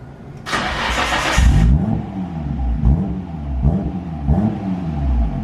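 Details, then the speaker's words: 1990 Nissan R32 Skyline GT-R RB26DETT after new injectors, spark plugs, coil packs, coil harness and fuel filter: cranks and catches quickly, settles to an even idle with crisp blips; engine runs smooth and healthy. "that sounds more like an rb is supposed to sound saves us some time"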